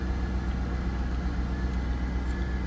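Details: 2003 Chevrolet Corvette C5, sat over five years unstarted, first start on old fuel: low, even, quiet rumble at steady idle, no ticks, knocks or misses; good fuel pressure, normal idle, though dash warning lights are on.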